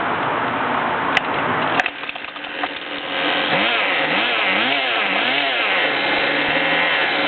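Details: Goped small two-stroke engine revving up and down: rasping crackle with ratchet-like rattle, strange noise of unknown cause.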